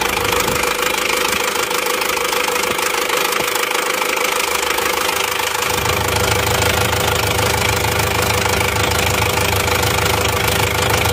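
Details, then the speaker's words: Isuzu Panther LS automatic diesel, 4th engine failure in 7 months, morning start. RPM raised to stop stalling, oil filler cap opened, exhaust smoking. Harsh uneven knocking about 2 per second over raised idle. "ini bus-busnya tidak konsisten ya jadi seperti ada satu kali satu kali itu ya tidak rata terus"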